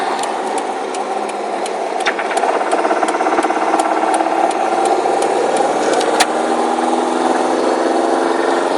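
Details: Rod knock that developed over a weekend, recorded while driving before the drivetrain is replaced (replacement already ordered): faint, irregular sharp ticks about twice a second ride over a steady engine drone, consistent with rod knock.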